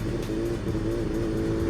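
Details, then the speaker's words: Yamaha FZ1 pulling from a dead stop before plug change; wavering, uneven drone that surges instead of rising cleanly, owner suspects the 2-year-old hard-run plugs, fouled by MMT octane booster, aren't getting the current to fire. "there's that surge it's not sure what's going on there i think it could be the spark plugs and they're just not getting their uh you know their their electrical current that they need to go ahead and fire"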